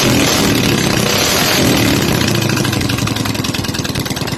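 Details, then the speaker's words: Honda GX200 clone (Predator 212 type) single-cylinder fitted with a variable-timing plug-and-play CDI kit held high in the revs, barking crisply and evenly with no misfire or breakup; sounds like a GY6, normal. "If you know what a GX200 sounds like, and you know what a GY6 sounds like, this would honestly fool you if you were trying to go by audio."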